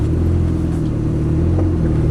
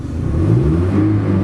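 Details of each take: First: Kia with a carburetor lacking an accelerator pump, at half throttle: steady low drone whose pitch climbs slowly; starts easily, idles well and revs freely, but lacks power under load, taking half a mile to reach 55 mph. Owner suspects the carburetor. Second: Modified Kia with a carburetor the owner suspects is too small, revved while parked in the car. The note climbs quickly and smoothly with no stumble: a responsive free rev, though the car lacks power under load.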